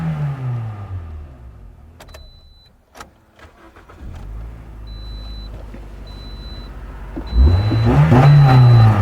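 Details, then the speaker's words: Toyota Corolla 1.8L, 124,000 mi, towed in not running with a crank-no-start, after fuel pump replacement: quiet, then the engine catches, revs briefly and keeps firing steadily; clean healthy start, no dash lights. "the vehicle came here on the tour truck it wasn't running now it runs"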